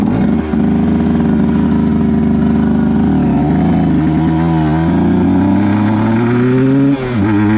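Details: 2010 Aprilia RS 125 two-stroke, VHSB34LD carb on pre-tune settings (162 main, K57 needle top clip, B36 pilot, air screw 2.5 out): revs climb unevenly with a ragged, wavering midrange note. Suspected rich stutter at 6,000–7,000 RPM from the stock needle; it is to be leaned with a K21 needle.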